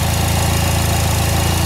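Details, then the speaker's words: Fire GL at idle: fast, light, even ticking over the engine note, louder around 2000 rpm per owner; mechanic says not to worry and nothing can be done. "I asked him about this ticking too and you can hear it a lot more once you're going about 2000ish RPM he's like no don't worry about that was nothing we can do about"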